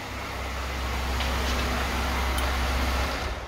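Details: Lada Niva engine idling right after a fuel pump replacement, no leaks noted, owner believes the problem is fixed: steady, low, even hum with no misses or knocks; normal idle.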